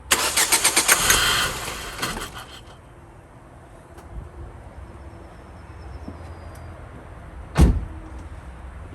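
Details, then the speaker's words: Car that cranks but won't start, even with starting spray: the engine spins briskly about two seconds then goes quiet, with one later thump. No fuel is reaching it; fuel pump, fuel relay or fuse suspected. "So the problem being, no fuel getting to it, so it's either a fuel pump, fuel relay, fuse."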